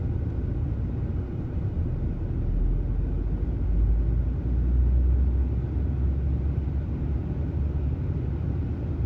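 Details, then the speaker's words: 2003 VW Passat 1.8T (AWM), fully warmed after a test drive, idling with no throttle: the low rumble rises and falls rhythmically as the idle hunts. Owner suspects a vacuum leak or the pedal; replacing the PCV check valve didn't cure it. "not giving it any gas at all. It just oscillates like this. Fully warmed up, been on a test drive. It's not usually this rhythmic, but it is right now."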